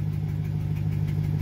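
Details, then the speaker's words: 2009 Chevy Silverado (GMT900) after the failed fuel control module was bypassed: smooth, low engine hum with a steady pulse, no misfire or knocking, not flooding or sputtering, normal idle. "it's not flooding it's not sputtering it'll rev just fine it's good and responsive not rolling coal"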